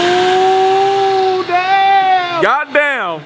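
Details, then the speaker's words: BMW E92 M3 with newly fitted supercharger kit, after rod bearings, exhaust upgrade and engine mounts, first proper start with no tune: clean steady high-pitched note falling smoothly as revs drop, no misfire or lumpiness; running healthy. "she sounds good that woo and she's running not being lumpy with no tune on"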